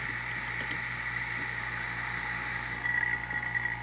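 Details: A/C vacuum pump pulling suction on the gauge set during an equipment check: a quiet, steady hum with a constant whistle-like tone that does not change when the valve closes; the pump runs fine and the gauge holds vacuum.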